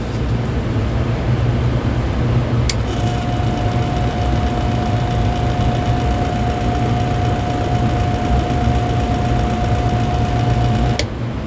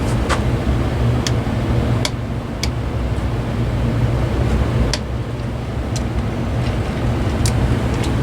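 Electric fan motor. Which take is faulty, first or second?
first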